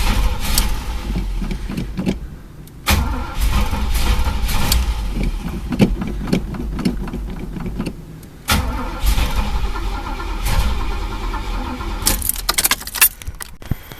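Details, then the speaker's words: Chevy El Camino sat about a month and a half, broken gas gauge read full; repeated bursts of steady cranking never firing, no fuel coming out of the fuel filter; no start because tank was out of gas. "well here's the reason no gas getting up in the car nothing coming out of fuel filter"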